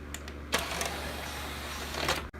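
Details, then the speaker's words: Pioneer CLD-D503 LaserDisc player, direct CD button pressed: a brief ticking motor whir inside for about two seconds, then a clunk; the whole tray comes out instead of just the CD drawer. Cause suspected, not confirmed. "the direct CD button when that comes on you can hear something we're in there press this button but again the whole tray opens rather than just a cd part itself"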